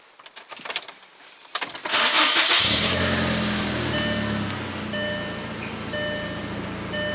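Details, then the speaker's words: Mk4 Jetta 1.8T after fitting new spark plugs and an ECS Tuning stage one ignition coil kit and clearing misfire codes: starter cranks, engine catches and settles into a steady, even idle with no misfire; no engine light. "but but here it is guys it's running so nice it's idling perfectly before i noticed that my idling was dipping down"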